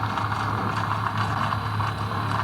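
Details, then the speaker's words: Newly installed water pump in a camper van starting to fill the lines during a leak test with the outlet valves closed: a steady low buzzing drone and even hum, running smoothly and normally. "Ahí empezó a cargar la bomba. Vamos a ver alguna fuga."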